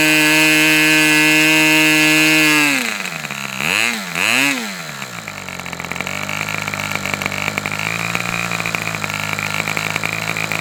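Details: Customer's Fox twin-cylinder glow engine on probably its final run of the day, outdoors as it cools off: smooth high-pitched scream at full throttle, then drops back through a couple of blips to a steady idle; healthy twin running normally.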